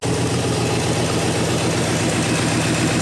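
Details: 1967 Lincoln Continental carbureted V8, sat in a field a year, starts once fuel finally reaches the primary jets: steady, slightly lumpy idle with even low rumble, no knocks; running fine.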